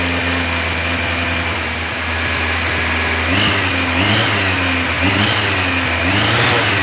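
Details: 1986 Yamaha FJ1200, first start in years after restoration prep, fully warmed up: smooth even idle picking up cleanly on throttle blips, no ticks, knocks or rattles; normal running.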